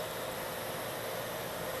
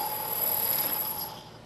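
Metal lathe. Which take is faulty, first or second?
second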